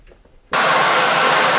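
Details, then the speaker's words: 2001 Mercury Sable, just over 100,000 miles, won't exceed 25 mph and lacks power: loud, steady hiss with little engine rumble as exhaust forces past the flanges; restricted exhaust causing an exhaust leak; O2 sensors reading slack. "right sorry for talking over the engine here it's uh I don't understand how anybody could miss this sound"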